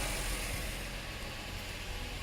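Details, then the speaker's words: Subaru B9 Tribeca Limited: soft, even idle rumble with no ticking or misses and a quiet dual exhaust; normal idle. "and let's hear that engine very smooth no ticking just wow I love it"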